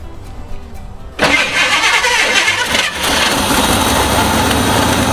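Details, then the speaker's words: 1989 GMC Sierra one-ton dually with 454 big block and a broken steering-column ignition, started by bypassing the column starter. Brief cranking, then it catches without backfire and settles into a steady, loud run. "For those that don't know, if your column starter won't work, you use this."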